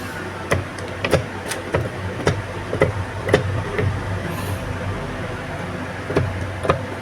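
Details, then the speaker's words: Vespa PX 150 gearbox, gears jumping out of fourth and hard kickstarting: sharp irregular metallic clacks about twice a second as cluster rocked by hand; layshaft cluster end meeting kickstart gear worn, excessive play, kickstart gear recently replaced. "Nah, ini gigi bagian burobudur yang ujung yang dapat gigi selah itu udah aus ya, Teman-teman ya. Hausnya lumayan banyak."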